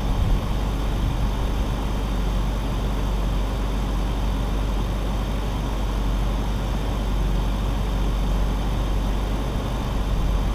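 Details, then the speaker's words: BMW E46 drift project car restarted after sitting three months; spark plugs reinstalled, oil poured into cylinders, so a tiny bit of blue smoke puffs from the exhaust dump. Even, steady low hum with no misses or knocks: smooth, healthy idle. "but sounds good idling smooth you can see with the exhaust dump that I have on the car there's still a teeny tiny bit of blue smoke puffing out"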